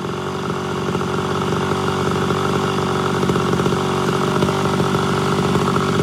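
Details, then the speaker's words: Mildly ported Homelite Super XL Auto chainsaw being tuned, high-speed mixture leaned out, cutting wood; screams at a high, steady pitch and climbs in the cut with no four-stroking; judged slightly too lean. "all right so that's just a touch leaner than i prefer uh it didn't go into four-stroking at all whenever i kind of released a little bit of pressure"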